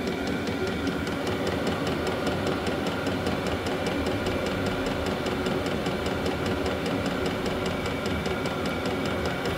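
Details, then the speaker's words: Vevor 12 V diesel heater running on maintained battery after earlier oil-fouled attempts; fast even fuel-pump ticking over steady combustion roar and fan hiss, no sputter or surging; heater working, putting out strong heat. "Bon ben, ça finit que ça fonctionne."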